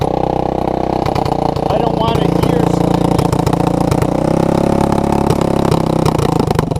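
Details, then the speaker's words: Honda ATC200S with a new clone carburetor that starts easily but runs poorly; the owner suspects vacuum leaks or a contaminated carb. Warmed up after a cold choke start, the single-cylinder idle is "a hundred times better" but wavers and hiccups; the carb still isn't right. "so okay it's warmed up and it's idling i'd say it's a hundred times better but i'd also say this um this carburetor is not what it"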